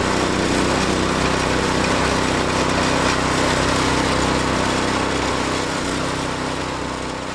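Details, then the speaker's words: New Predator 6.5hp 212cc engine on a refreshed Wards snowblower, cutting through a big snow pile: constant high governed buzz, holding speed and barely bogging; runs perfectly under load. "Motor works great. You heard it going through that big pile of snow over there, and she just ran perfectly. It barely bogged down, and of course these run on a limiter"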